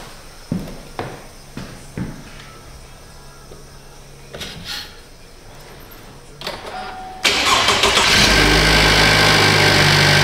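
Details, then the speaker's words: 2015 Cadillac ATS Luxury 2.5L GDI RWD, junkyard used engine just swapped in, started while AC is vacuumed: short crank, catches almost at once, settles into steady even fast idle; healthy quick start. "So that's good, it runs. Happy days. And that is the fastest GDI starting engine I've ever used."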